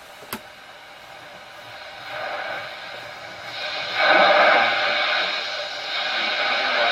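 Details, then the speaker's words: Bush RG66 radiogram after replacing decoupling capacitors; long wave was previously completely dead. Hiss and faint whistles while tuning, with weak long wave stations coming through in an area of poor reception. Long wave reception restored. "So we're getting something there. There isn't very good long wave reception in my area, so long wave's definitely there now where it wasn't before."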